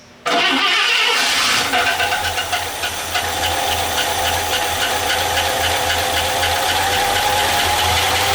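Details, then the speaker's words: 53-year-old truck first started since at least early 1990s, after new plug wires and heater hoses: catches quickly, steady idle with light quick ticking about four a second, no smoke; slight valve tick. "okay well it runs minus a little bit of valve noise it runs actually surprisingly well"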